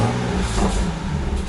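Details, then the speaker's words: Warm BMW 135i N54 six-speed with burble tune, idling: loose, uneven rattle, likely from the exhaust. It was present when bought, with the wastegate suspected, vanished with downpipes and OEM cats, then returned after catless downpipes; cause unclear. "probably hear that. It had the rattle, and I thought my wastegate was messed up."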